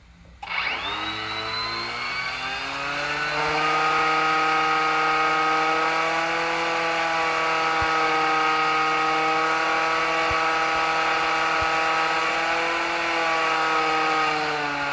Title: Bad motor bearing